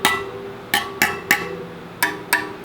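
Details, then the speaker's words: Rad City e-bike wheel spokes plucked one by one during assembly to check tension: seven high pings with one noticeably lower note, showing a loose, under-tensioned spoke that needs tightening. "you hear how that one's lower pitch? Not as tight. Higher, lower."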